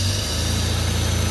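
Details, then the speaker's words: Abandoned E34 BMW 535i, sat 12 years, running on starting fluid because the fuel pump is dead: smooth, even low idle with a steady hum and no knocks or misses; very quiet motor with a nice purr, a little smoky. "Very quiet motor, I must admit, especially after sitting for 12 years. Got a nice little purr to it."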